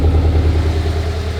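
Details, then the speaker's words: Neglected, cheap Scion FR-S boxer engine at idle: a low, even rumble with a smooth, steady beat and no misses or knocks. It idles cleanly with no smoke from the exhaust, and the engine looks possibly new. "it's idling really nice do you think that engine could be new it looked new dude"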